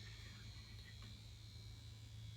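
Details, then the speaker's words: E-Flite Convergence RC plane: after the stabilizer is switched on and off several times, the right aileron pitches up almost 90 degrees and its servo chatters with a steady buzz and faint whine. "it was the right aileron that pitched up almost 90 de and you can hear the servo chatter"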